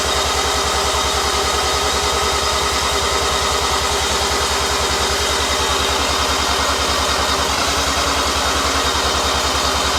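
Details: New Mazda 13B bridgeport rotary on first start, second attempt, no throttle, with long cranking possibly needed to seal the rotors; fast, even starter churn, about two and a half compression pulses a second, never catching; cranks but won't start, cause unconfirmed.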